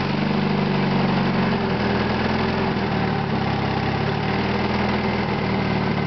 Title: knocking sound part 2